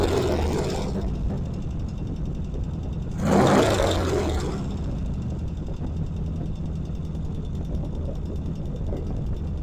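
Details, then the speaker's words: 1975 Norton twin, carburetors just primed via tickler: deep, steady idle with one short blip, settling back evenly without stumbling; running well, left idling to check for oil leaks. "All right, it sounds good. I'm going to let it sit for a while. Check for oil leaks."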